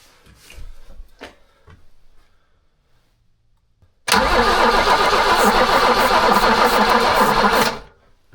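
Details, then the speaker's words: Abandoned BMW E21 that sat for years, cranked to try to get it to fire: starter churns about four seconds with a dragging beat and never catches as the old battery dies. "All right, so the old battery actually gave out on us."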